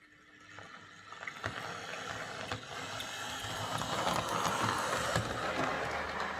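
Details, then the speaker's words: Hornby R041 GWR Class 57xx Pannier tank model locomotive after replacing the worn rear motor bearing behind the magnet and re-magnetizing: light, even whirr with faint rail-joint clicks; runs much quieter than before. "think that sounds better so it's definitely running an awful lot quieter with that new rear bearing"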